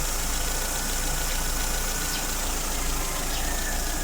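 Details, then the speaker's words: Mitsubishi Lancer "Pizza Pie", 4G13A carburetor engine, after a switch from premium to unleaded fuel. It had no idle and died on start, fixed by working the choke while running. Now warm with the radiator fan on: steady, even idle with no misses, healthy. "Naabit na yung kanyang tamang init. Makina nag-automatic na yung ating pan."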